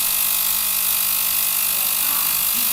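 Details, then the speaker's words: VGT 1000 ultrasonic cleaner (35W, 40 kHz piezo transducer) after repair of a no-vibration fault, foil test: constant high fizzing hiss with a faint steady tone, no cutting out; transducer working normally. "So the machine is working. This is nice. Well, it's done. It's fixed."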